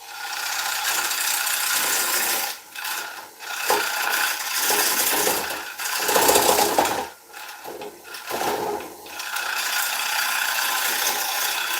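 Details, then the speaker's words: Wood lathe turning a bowl blank with tricky grain: rough scraping cut that drops out and catches in an uneven beat, something wobbling; knocking noticed earlier, bearings checked. "Yeah, hear that sound? Something's going wrong. Something's wobbling."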